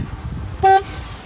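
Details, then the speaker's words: 2001-2007 Volvo V70 after replacing the 15A horn fuse and FMI12 horn relay: one short, clean blast of a single steady tone. One of the two horns is bad, so only one sounds. "seems to be working good. So, I've only got one horn, which would actually be fine."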